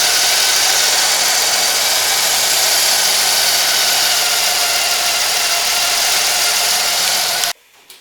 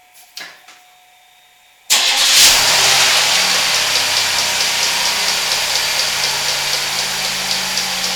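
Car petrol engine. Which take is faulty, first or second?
second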